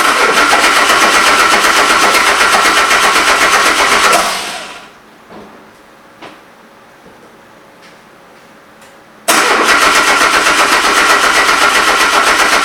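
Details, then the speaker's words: Subaru-engined VW Super Beetle on first start attempt after an ECU firmware update, air-fuel and coolant readings slightly off: steady cranking about four turns a second, two attempts, never fires; plugs wet with fuel, compression 175 on cylinders 1 and 3. "The air-fuel ratio seems a little odd, but we're still going to just give it a crank to see what happens."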